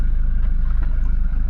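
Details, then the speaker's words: Toyota Innova Crysta diesel, 51,000 km, roughly driven, just started and idling: steady even diesel clatter with a smooth regular pulse, no extra knocks or ticks; only normal diesel clatter, healthy idle. "ఆ diesel క్లాటరింగ్ అయితే ఉంది, కానీ remaining ఆ diesel క్లాటరింగ్ కాకుండా ఇంకా ఏ sound అయితే లేదు."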